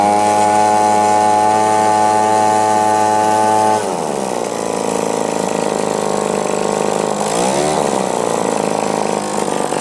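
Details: Echo PB-2520 two-stroke blower, earlier laboring at high rpm and not idling: clean steady buzzing idle for four seconds, then revs up smoothly and stays even; healthy running.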